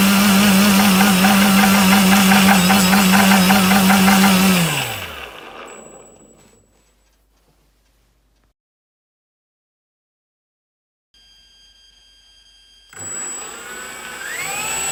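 A brushless motor runs with a rough, pulsing buzz about three times a second, then winds down and restarts. Cause suspected, not confirmed.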